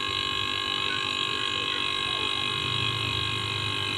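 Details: Used car AC compressor repurposed as air compressor/vacuum pump, still on old capacitor with reduced value: steady whir with even high tone, no knocking or rattle while building pressure quickly toward 500.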